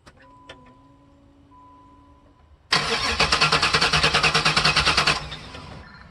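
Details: Chevrolet LT1 V8 no-start after dying at wide-open throttle, new plugs fitted and coil wire reconnected: brisk, even cranking, about eight pulses a second, for about 2.5 seconds without firing; the cause later proved to be a bad Optispark distributor base (O'Reilly brand).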